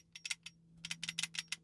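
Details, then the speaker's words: Arrma Outcast 8S EXB RC car, center diff removed with the motor and rocked back and forth by hand before the first run: light clicky backlash ticks, gear mesh judged fine. "That mesh is not quite nice. It's quite nice, that mesh."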